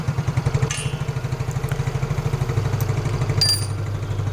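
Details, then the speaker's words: Yamaha Mio Fino scooter after fixing rough 'nguk' starter noise caused by dry starter motor armature: even, steady low putter with regular beat, no grinding or dragging from starter; starts and idles normally. "Oke untuk suaranya itu sudah halus ya teman-teman tidak ada lagi bunyi yang seperti itu ya starter seperti orang sakit asma ya teman-teman"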